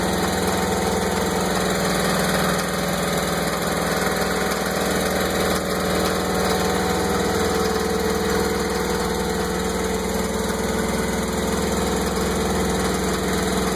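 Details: MerCruiser 5.7L marine V8 idling unevenly with a light steady knock and rough running, appearing suddenly after lower-unit u-joints and helm shifter were replaced; plugs, distributor cap and timing already redone by mechanic, cause unknown.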